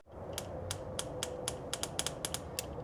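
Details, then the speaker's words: 1968 Oldsmobile Delmont 88, 62,000 miles, parked 36 years, after sanding the points with key on: crisp, even snaps about four per second from the coil; ignition now firing strongly and regularly. "That's firing really nice. Hear that? You can see it when it's firing somewhere else. Yeah, it's firing out of the coil."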